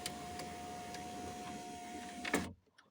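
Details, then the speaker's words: 2003 VW Touran driver's power window after repairing the frayed regulator cable that had grated and rattled: steady even motor hum as the glass runs down, soft stop, no grinding or clicking. Regulator now works fine. "Все, відремонтував тросик іспитанія. Так, донизу. Отлично. Доверху. Отлично. Донизу."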